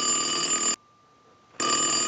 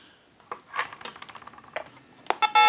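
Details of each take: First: Western Electric glow phone after repair, ring cycle from an analyzer with the rear ringer volume control adjusted: a steady, bright electronic ring in two even bursts with a clean silent gap between. The ringer works properly. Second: Western Electric Glow Phone under repair, plugged into a line analyzer; after some clicks a steady dual tone/buzz sits on the line as analyzer shows a seized digit eight, preventing dialing out.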